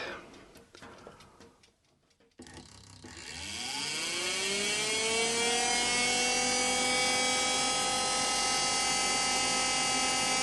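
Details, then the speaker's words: Car radiator fan wired as 12V off-grid bathroom exhaust fan, test run blowing in: whine climbs and settles with light regular ticking about three or four times a second; something apparently rubbing. "I believe there's something rubbing there. That sounds a little noisy."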